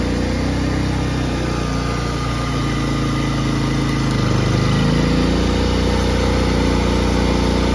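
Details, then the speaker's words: Harbor Freight Predator 3500 inverter generator running after inverter module replacement and carburetor cleaning, during voltage test and load changes: steady drone dips and climbs back higher as load switches, then holds; responds normally. "I'm going leave you guys with the last clip which is the general running and me testing for voltage and doing some load [Music] changes"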